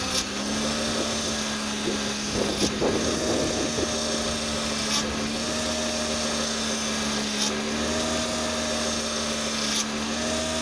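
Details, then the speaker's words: 2003-09 Honda/Acura V6 power steering pump whining at idle as the wheel is turned: steady drill-like whine, swelling every couple of seconds; inlet tube O-ring pulls air, worse when cold; fixed by replacing O-ring. "the reason why it winds is this is the intake to pour our steering system and that O-ring pulls air"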